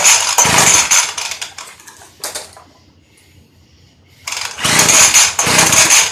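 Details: Early-2000s Craftsman Bushwacker 358.795792 19-inch 25cc hedge trimmer, cold start after replacing broken fuel line and crumbling foam air filter, 40:1 fuel: sharp two-stroke buzz revs hard, drops cleanly to low idle, picks back up without stumbling; running properly.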